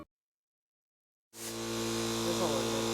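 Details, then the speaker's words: Small Teemo compressor for painting a 2018 BMW F80 M3 at home spins up into a steady, even buzzy hum; running normally and judged able to do the job. "yes, it looks like the Teemo compressor is going to work."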